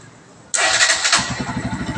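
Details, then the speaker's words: Bajaj Pulsar NS 125 parked two years, after a full service (carburettor, air and petrol filters, throttle position sensor cleaned, fault codes erased by OBD scanner): short starter whirr, then it catches at once into a steady, even idle. Healthy start. "Good, சூப்பராக start ஆகுது."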